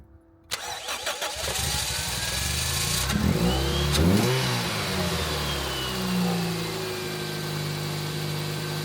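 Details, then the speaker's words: Toyota Yaris SR 1.3 after alternator and drive belt replacement and battery terminal refit: short crank, catches at once, brief rev, then a steady even idle with no belt squeal; battery light off, it charges; normal start. "Right, although the car looks far worse now than it did before, it does run, it does charge, so my work here is complete."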